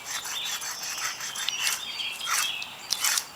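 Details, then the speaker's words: Removed front wheel hub bearing from a Jeep, turned by hand: gritty, rasping scrape rising and falling unevenly; bearings worn out and need replacing. "Bearings are ate up. They sound terrible. So that's definitely a bust."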